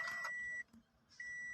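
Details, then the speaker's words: Keyless push-button car, start button pressed without the brake pedal pressed: steady high warning beep cuts out briefly and resumes with no cranking; start refused because the brake must be pressed first. "Ayaw, di ba? Dahil yon ay ito ang sikreto. Kailangan apakan ang preno bago mo pa i-start ang push button o keyless na sasakyan."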